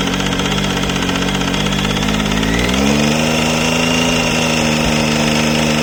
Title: Triumph Tiger 800 XC 2013 ticking sound from the engine